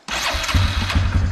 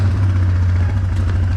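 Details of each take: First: 2009 Yamaha Wolverine 350 ATV: starts right away into a fast, even single-cylinder patter; the idle is high because the choke is on, and it dies with the choke off, so the idle needs adjusting. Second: Idle on a 2009 Yamaha Wolverine 350 ATV after idle adjustment, shifting between neutral, reverse and drive without CVT jump; steady, even low putter with no stumbles or hunting, smooth clean engagement; normal healthy idle.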